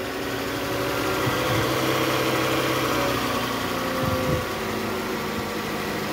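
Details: 2008 Toyota Camry XV40, 2AZ-FE engine, after balancer shaft and tensioner replacement and tune-up (previously rough noise at cold start with AC on in R or D, growl from tensioner): steady even idle, smooth low hum, no ticking or rumble; normal idle.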